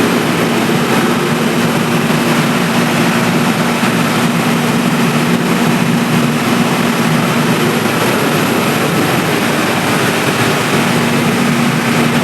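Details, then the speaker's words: Three-phase generator on auto panel after fixing protection-mode beeping, mains switched off so it auto-starts and supplies output via relay; steady even drone, no knocks, misses or hunting while carrying load, normal running. "तो दोस्तों इस तरह से हमारा जैसे ही supply out किया है relay का टॉट ले लिया और ऑटो में भी हमारा जनरेटर चल के सप्लाई आउट किया"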